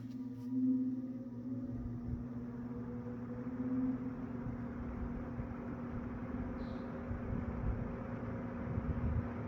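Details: Eskimo box fan model 201083, after cleaning and reassembly, running on low and still speeding up: a quiet steady low hum with a harmonic whine from the grills and no rattle or scrape. It is running smoothly.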